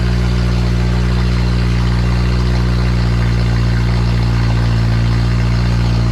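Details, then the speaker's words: Freshly built Honda K20A2 engine at first start: loud, steady deep idle with even beat, no misses or knocks; normal idle. "that is the sound of the new engine guys"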